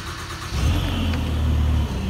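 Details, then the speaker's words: Advance SC8000 floor scrubber, key-started at low RPM (turtle setting) before raising to operating speed: starter turns briefly, engine catches cleanly and settles into steady even low-speed run. Normal engine start. "is you can hear it and start it up right now on a low rpm when you're ready to scrub you always have to remember to increase the rpm"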